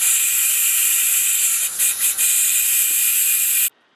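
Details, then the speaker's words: EDgun air rifle being filled with a bad O-ring on the fill probe: steady high-pitched hiss of escaping air with short dips, then silence as the tube vents; fill port O-ring air leak. "So let's go ahead and fill the gun and see what it sounds like with a bad O-ring on the fill probe."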